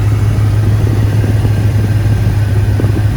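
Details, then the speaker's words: P38 Range Rover air suspension after the valve block repair, engine started: a steady, smooth, low compressor hum with no knock or rattle as the suspension pumps right up normally. "there you have it ladies and gentlemen she's pumped right up i was just bolted all that stuff back in as i was waiting for this to pump up and it just pumped up"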